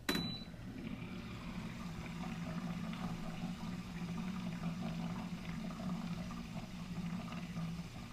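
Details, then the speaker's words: Keurig Rivo R500 during first-use priming with frothing pitcher fitted: steady low pump hum with water trickling through, even and unbroken for the whole cycle; normal frother priming. "all right so it is ready for me to remove that and discard that water while I'm doing that I'm going to prime the actual machine"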